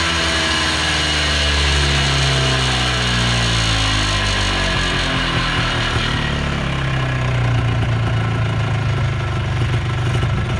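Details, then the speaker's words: 1980s Polaris 250cc two-stroke ATV revived after sitting for years. Buzzes steadily and rises and falls smoothly with throttle blips, no stumbling or knocking. Runs well; owner may tweak the carb slightly. "Sounds good. [Music] [Music] [Music] Yeah, she runs good, boys. real good."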